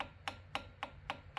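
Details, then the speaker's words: Foxbody Mustang, engine off, throttle at full travel: five sharp clicks about a quarter second apart as the throttle body bottoms out on its wide-open stop; linkage working. "You hear that clicking? That's a throttle body bottoming out."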